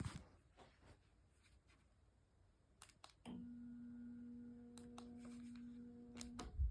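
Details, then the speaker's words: Ceiling fan: a quiet room, then a steady low electrical hum as the fan motor switches on; the owner wonders whether this motor hum is normal. "and that's the noise the motor makes. I'm wondering if this is normal or if it's the [Music] fan."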